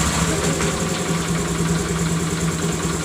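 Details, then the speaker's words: Honda Grazia BS4 scooter idling after the spark plug was tightened: steady, even low single-cylinder putter with no ticking or rattle, smooth and healthy. "एकदम sound smooth हो गया दोस्तों कोई तरह का आवाज़ नहीं है"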